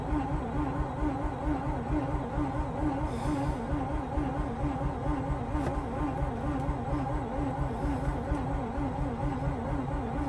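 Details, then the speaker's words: Mazda RX-8 after sitting overnight, rotary: laboured, slow starter cranking at about two strokes a second, never catching; the starter is dragging against a seized alternator pulley. "all right guys once again this was with the alternate pulley locked up"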